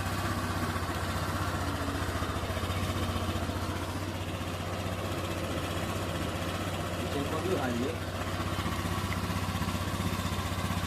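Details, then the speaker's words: Honda Vario 125 scooter engine after a rebuild, idling while the radiator coolant is watched: a steady, even low putter with no knocks or misses, now smooth; normal idle. "h tinggal dicek aja suaranya sudah halus kembali beda dengan yang pertama kalinya teman-teman"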